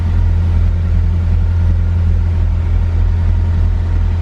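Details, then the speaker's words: Car with new speed density remap and injectors from the old motor, sensor moved to bank 1: deep even low rumble with no misses, surges or knocks; cold start idling smoothly while warming, normal idle. "Nice cold start going on right now, so I'm gonna let it warm up and then go from there."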